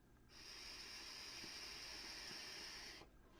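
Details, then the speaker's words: Titanide Leto RTA vape tank on a draw: steady airy hiss with a thin whistle from the airflow system. "c'est un peu ce système des flots qui a tendance à siffler quand vous l'entendez"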